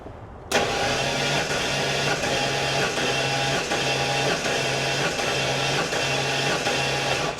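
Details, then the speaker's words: 1993 Ford F-150 on its third engine in two years, compression test cranking via starter solenoid with battery maintainer, plugs white: steady cranking with even pulses about eighty a minute, no firing; reading about 115. "So, I'm looking for good even needle bounce. So, right now we're at uh 115."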